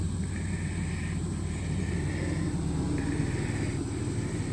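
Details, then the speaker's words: Truck after exhaust repair, idling once cooled and the exhaust refitted underneath: smooth even low rumble at steady idle with no puffing, ticking or rasping; exhaust sealed and much quieter than before. "Alright, I got the exhaust fixed on it. And here it's a lot quieter."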